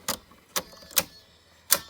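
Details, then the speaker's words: Electrohome portable record player drive assembly after cleaning and lubricating: four sharp dry clicks at uneven gaps as the speed change works briskly; owner suspects some friction, clicking speed-change mechanism. "there's probably some friction going on that sounded worse than I thought it would I don't know if it's supposed to change speeds as briskly as it does but anyway that's not that big of a deal I don't think"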